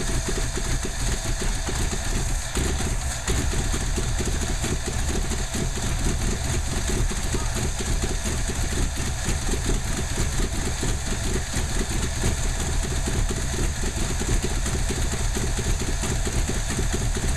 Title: Craig's Ford 289 Motor misfiring !